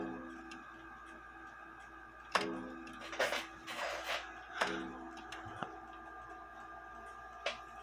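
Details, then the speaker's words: Junghans bakers clock gong hammer after fitting a new leather tip, glued in and not yet dried or formed: several single gong strikes, each a sharp hit with short clear ring, no rattle or clunk; normal strike. "so the purpose behind the leather I believe is to make it quieter I like it louder myself but once that leather dries and that dries out but um forms to the Hammer I think it'll sound a little bit better"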